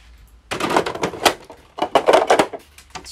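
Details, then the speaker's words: Saeco Vienna coffee machine after realigning the flipped brew-group drive shaft splines to the start position without disassembly: brew unit inserted, motor whirs and clacks in uneven spurts moving it up then down, normal start positioning before heating. "все заварной блок вставлен идет стартовая пригонка заварного блока в верхнее положение какому в нижнее положение после чего запустится обычное нагревание кофе аппарат"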